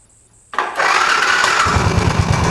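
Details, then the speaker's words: Suzuki LS 650 Savage, 650 cc air-cooled four-stroke single, first start after almost a year: fast idle with a steady heavy knock from the engine head in time with the engine; valves already adjusted, loose cam chain suspected. "That's it! This great knocking sound! And because I had already adjusted valves and it didn't help... most probable cause of this sound is loose cam chain"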